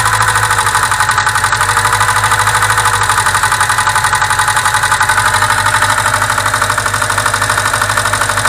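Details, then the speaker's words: VAZ 2107 idling with steady fast sharp valve-train ticking, about three taps a second, persisting even after valve clearance adjustment; worn camshaft and rocker arms, rockers to be replaced along with valve stem seals. "Если износ в этом месте, и ты хоть затяни клапана, они все равно будут стучать. И стучат, конечно, они добрые."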